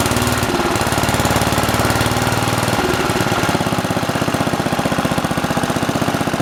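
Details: Simplicity 7010 lawn tractor, single-cylinder engine just restarted after head removal and spark plug replacement (old plug sparked intermittently): loud raspy beat about three pops a second with sharp unmuffled bark; rotted, holed muffler leaking, needs replacing.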